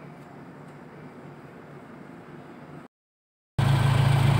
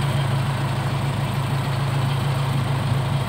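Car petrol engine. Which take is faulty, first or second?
second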